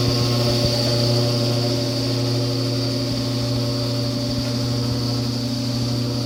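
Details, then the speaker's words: Kenmore electric dryer built by Frigidaire, top removed, on a heated cycle: a steady low hum and buzz over the tumbling that grows louder after a few minutes while the heating element is normal; noisy blower wheel when warm. "so I took the top off and it's only been a couple of minutes but the dryer is starting to make humming noise and a little bit of a buzzing noise and it does get louder than this"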